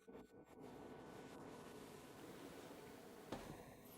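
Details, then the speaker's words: KROAK TB2 8 kW diesel heater at startup, 9.8 degrees, before glow plug preheat: only a faint, even airy whir with a couple of clicks; fan noise audible but very quiet, normal operation. "Currently we have 9.8 degrees. The fan noise is indeed audible, but only very quietly, almost imperceptibly."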